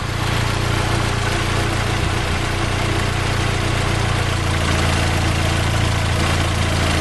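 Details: 2010 Fiat Palio 1.4 8V Fire after coolant system flush: smooth, even low idle hum, no ticking or misses; engine idling healthy with no leaks.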